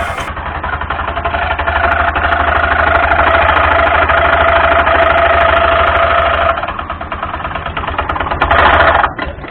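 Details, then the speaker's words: Honda Scoopy (Scoopy Donut) automatic scooter at idle: loud clattering rattle, rough chatter about three times a second over the engine, from a damaged front roller housing/pulley and drive belt, before repair. "Nah, cukup kacau bukan bunyinya? Namun jangan panik. Ini adalah bunyi dari rusaknya rumah roll bagian depan atau puli depan dan juga panbel."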